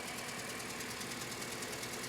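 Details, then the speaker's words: Toyota Scion misfiring on cylinder 3, coils unplugged during testing: fast uneven ticking over thin, stumbling idle; cylinder 3 has 50 psi compression vs 125 on cylinder 2, engine shot. "hey look at that no compression this motor is shot I've got 50 psi on compression on cylinder 3 125 on cylinder 2 that's where our misfire is at"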